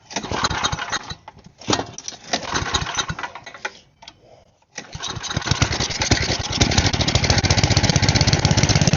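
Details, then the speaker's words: Side-shaft small go-kart engine after carb cleaning, choke off: several sputtering catches that die, then a rough uneven run; owner thinks the carb needs more work and may have more holes to check. "Well, I think the carb's gonna need a little more work, so I'm going to pull it back off and check for some more holes that I haven't seen, and I'll get back to you guys after I do that."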